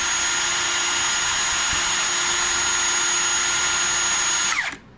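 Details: Ridgid R86211 Octane 18V impact wrench with an intermittent slow-speed fault, on the old 9 amp Octane battery: a steady, high, even whine holds at full speed for about 4.5 seconds, then winds down cleanly. Normal full-speed run.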